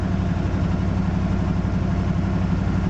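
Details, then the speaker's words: 1980 Jeep Cherokee Laredo, 401 V8 after major tune-up (new distributor, cap, rotor, plugs, wires, thermostat, coolant flush, oil change): deep even idle pulsing about three times a second, no ticks or misses; good oil pressure, slow to warm up. "holds a pretty good oil pressure takes a minute to get up to operating butt"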